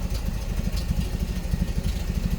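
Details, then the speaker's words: 1986 Nissan pickup farm truck, non-original engine, after fuel pump work, first start: lumpy, uneven low tractor-like chugging at idle with irregular pulses; rough running, possibly rich, oil leaking. "It sounds like a tractor. Smells like one, too."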